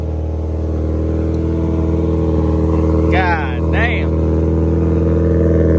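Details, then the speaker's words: VW GTI with loud exhaust: after a rev it settles to a steady elevated idle drone that won't drop back; owner thinks the throttle body sensor needs tapping or the throttle body replacing. "and she's still holding her rpms up which is annoying that's why i don't drive her right now because she's uh i need to either tap the throttle body or get a new one so that the uh sensor will stay in place and hold the throttle instead of doing this annoying [ __ ]"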